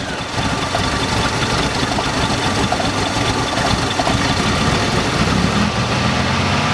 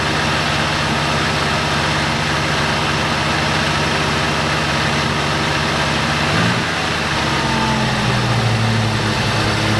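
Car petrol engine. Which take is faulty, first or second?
first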